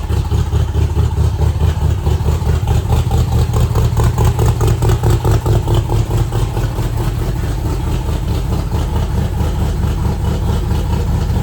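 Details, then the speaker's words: Factory Five MK2 Cobra roadster, Ford V8 with newly installed Edelbrock Pro Flo 4 EFI, first start: deep even V8 lope settling to steady idle, no knocks or misses; runs healthy. "So unfortunately it fired right up first time, but here you go."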